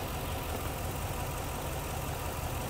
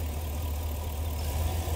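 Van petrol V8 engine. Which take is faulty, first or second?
first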